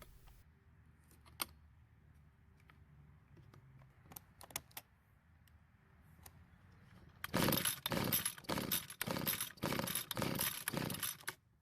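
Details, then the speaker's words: Rare John Deere string trimmer with compression only about 45 psi, fueled: repeated rope pulls, quick rasping whirr about two per second, never catches; spark tester shows no spark. "unfortunately it didn't even try to start at this point we need to test it for spark"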